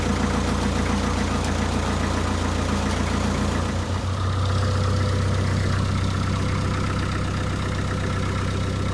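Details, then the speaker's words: 1962 Land Rover Series 2A 109 LWB 2.25L diesel after timing chain adjustment, idling on hand throttle just after start, out of gear: steady even clatter about two and a half beats a second, no smoke; running healthy. "As you can see, now we're just started it up and there's no smoke."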